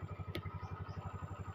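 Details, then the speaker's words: Yamaha Mio M3 125 scooter, after replacing the injector that caused hard starting and stalling on the road; starts immediately, quiet steady single-cylinder putter about nine beats a second, no stumbling; normal idle. "langsung hidup tadi sebelumnya motornya susah sekali hidupnya teman-teman susah sekali sebelum kita ganti injektornya"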